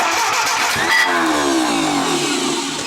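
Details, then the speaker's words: Junkyard Willys engine with a repaired head, run on a jump pack: harsh cranking with a hissing scrape and sagging pitch, the starter sounding bad; owner thinks the bell housing was scraping on the concrete. "I think that was actually the uh little bell housing thing scraping on the concrete"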